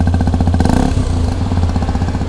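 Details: Hero XPulse 210 after tappet adjustment to cure tappet noise, exhaust sound on test: an even single-cylinder thump with a clean, regular beat and no top-end ticking. Sounds healthy.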